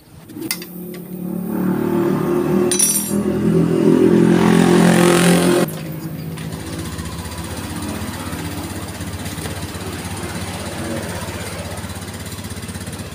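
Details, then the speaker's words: Honda Beat scooter CVT after cleaning and replacing the worn roller housing (rumah roller): engine revs up cleanly, drops back to an even idle with no rattle or judder; belt drive now smooth. "langsung ajem suaranya guys Coba nanti saya geber ini"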